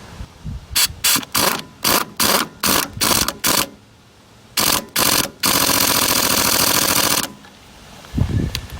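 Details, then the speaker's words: Impact wrench used during John Deere 2520 tractor ball joint repair: short choppy hammering then a soft, slow rattling run; owner says the air compressor isn't up to operating pressure; weak impact wrench. "like the air compressor ain't quite up to operating pressure at the moment. We'll have to fix that."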